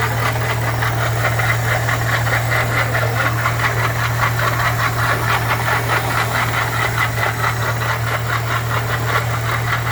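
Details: Steady engine hum with a fast, uneven metallic knocking about twice a second running through it; noise produced by a badly damaged water pump.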